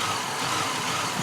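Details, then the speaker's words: Ford Mark VIII idles rough and lumpy, a bit high with stumbles, after every engine-bay sensor including cam sensor disconnected; idle around 1100 rpm in gear; cause not yet found. "Yeah, you see it's idling like crap."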